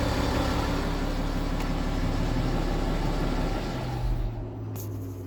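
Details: BMW F15 X5 with N57 diesel at idle: low, uneven clatter over a steady rumble; suspected timing chain rattle, source not pinned down.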